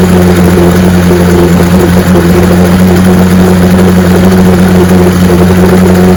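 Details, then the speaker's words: 1965 75 hp Evinrude Electromatic outboard (owner thought 1963) with electromatic shift, serviced with new water pump impeller and lower unit: strong, even drone with steady low tone, no misses or knocking; runs like a charm. "Not a hydroelectric, it's electromatic shift. Look at that, runs like a charm."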